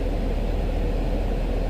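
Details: 2019 Chevy Camaro 3.6 after thermostat/ECT sensor replacement for code P0128, heat on full while warming: low even idle hum with no knocks, misses or hunting; coolant temperature rising normally.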